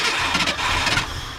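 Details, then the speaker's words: 1967/1968 Ford F100 sitting about ten years, first start attempt via starter jumper wire with gas poured in, carburetor needing rebuild: brief cranking with ragged pops and spits out the back, never catches; running out of fuel. "spitting out the back pump a little bit out of gas now go keep going"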